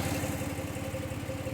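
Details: 2017 Audi Q7 3.0 with code P0304, engine shaking and warning on dash: idle chugs with an uneven, lumpy beat and occasional dropped pulse; cylinder 4 misfire.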